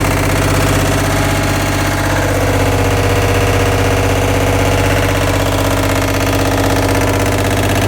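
Loud, steady droning hum with a fast pulsing beat, about three a second, while the drum spins; cause not identified.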